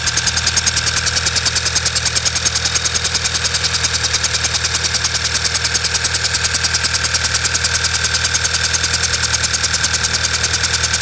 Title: B6 Passat check engine light flashing rough idle